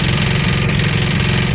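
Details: Jeep at idle, loud and rough, with a dull repeating knock under the engine note; suspected rod knock from the bottom end, not confirmed.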